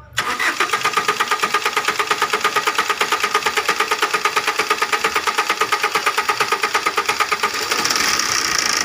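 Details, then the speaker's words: 2016 Maruti Swift diesel, starting: starter churns about three times a second for nearly eight seconds before catching; stretched timing chain putting timing out, also chain and humming noise, no check engine light. "பாருங்கள் எவ்வளோ நேரம் கழிச்சு long self வந்து start ஆகுது."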